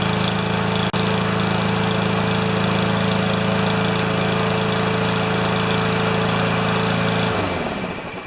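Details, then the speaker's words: Powermore mower, possibly a Honda clone, in cool weather after fixing broken blade adapter, upside-down blade and mildly clogged carburetor: steady, even drone at governed speed for seven seconds, then shut off and winds down; running normally. "so anyway she run actually runs great and i'm sure somebody will think it's a wonderful more"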